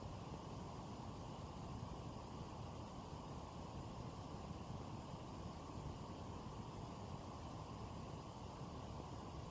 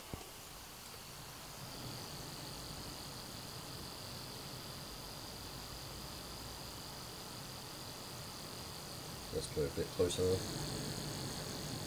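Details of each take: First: Cooler Master Hyper 412S 120mm aftermarket CPU cooler in a gaming PC under light gaming load: soft, steady airy hush with no whine, ticking or bearing rumble; far quieter than the stock cooler, running normally. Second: Stock CPU cooler fan near 3000 rpm at idle, no games or applications open: steady airy rush with a thin high whine; still pretty loud, louder still under gaming load.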